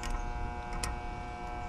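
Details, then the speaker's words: Mobile home AC condenser outside: steady electrical hum with a buzzy edge, the contactor chattering instead of pulling in cleanly; ants are crawling over it, most likely ants in the contactor, so the contactor is being replaced. "I see ants crawling all over it so I'm suspecting that's what our problem is I just tell you what my meter's reading I can hear it buzzing"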